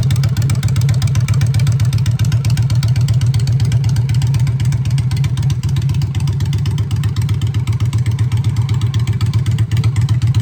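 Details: Honda Shadow V-twin with new custom exhaust pipes, on choke in neutral: deep, even thump at idle, about four beats a second, rising cleanly with the throttle; normal healthy idle and revs.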